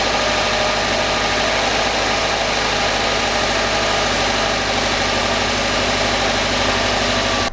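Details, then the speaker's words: 2011 Subaru WRX hatchback just after a Gates timing belt kit install: first start shows an even, steady idle with no squeal, slap or ticking from the drive or AC belts, where the owner feared noise from a poorly seated AC belt. "So I'm gonna start it up, and if I hear any weird noises, it's most likely that belt."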